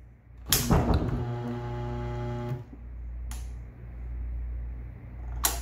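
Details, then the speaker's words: New single-phase motor for a washing machine, bench-tested before fitting: catches instantly on power with a clean rising hum, runs smoothly about two seconds then is cut; centrifugal switch working, normal start-up. "right switches working so the centrifugal switch is working and the motor starts up when we plug it in instantly"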